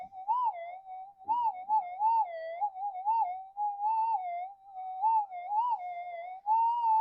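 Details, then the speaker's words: Minelab GPZ 7000 metal detector reported noisy, tested in a workshop after its auto scan: the threshold tone wobbles and keeps pitching upward instead of holding steady; unstable threshold, cause unconfirmed (power supply or interference suspected). "That that wandering and up pitching. That doesn't sound right, does it?"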